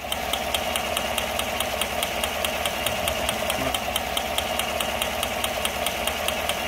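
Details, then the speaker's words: Engine running: light crisp ticking about twice a second over a steady hum, heard when accelerating and decelerating; ignition spark arcing to chassis instead of reaching the plug, from a damaged distributor, leads or plugs. "el siguiente es el saltado de chispa esto pasa cuando la corriente no llega a la bujía y se aterriza en alguna parte del chasís a veces por un distribuidor dañado por cables dañados o incluso las bujías dañadas"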